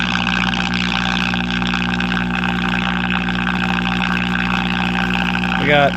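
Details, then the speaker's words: Early-1960s Knight Kit All-American 5 AM tube radio, water-damaged, after swapping a failing 35W4: a steady low buzzing hum sits under the radio; the filter capacitors (50 µF and 30 µF at 150 V) are trashed. "got good amount of filter hum. Let's see if it'll pick up any stations here."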